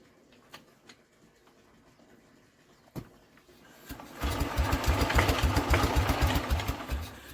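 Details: Norman engine after carb cleaning, a valve job on the no-compression cylinder, good spark and petrol primed: quiet clicks, then a steady starter churn at about four turns a second with no catch or firing; cranks but won't start, cause unconfirmed.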